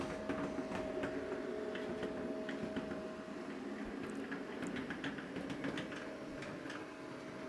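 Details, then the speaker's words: Gauge 0 model V 100 locomotive, microphone held up to it while running: steady mid-pitched electric motor hum over light rail clicks; loud humming of unknown cause, owner wonders if it needs a drop of oil. "I'm going to hold my microphone up to the locomotive because maybe you can already hear it. It's humming quite a bit and now my question is, is it somehow a drop of oil or something else?"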